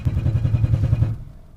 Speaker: I think the starter's falling out. Oh, okay, yeah. It's not loose, it's falling off.